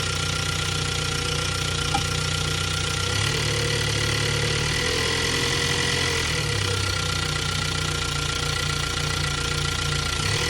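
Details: 2022 Ford Bronco 2.3 liter engine at idle: even idle with a faint, fairly quick knock, roughly three a second, under the running engine; cause unclear.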